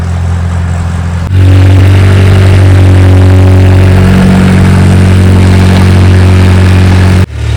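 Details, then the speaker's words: An old-model Mahindra diesel pickup, unstarted for what seems over two years, was cold-started with extra diesel added. Deep, steady rumble settling into an even idle with no knocks or misses; the engine is healthy. "വണ്ടി ഇടിവെട്ട സാധനം കേട്ടോ, ഒരു വിഷയമില്ല. വണ്ടി working ചെയ്തൊന്നും ഒരു വിഷയമില്ല."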